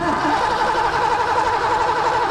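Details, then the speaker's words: 1986 Mustang GT 5.0 five-speed, sat 20 years: steady cranking whir that never fires; no square-wave signal on probe, no spark because the distributor PIP sensor failed. "Nothing. It's so we didn't see any pattern there at all. So that indicates it's not just the module. We tested the module like we said. It's the PIP sensor inside the distributor."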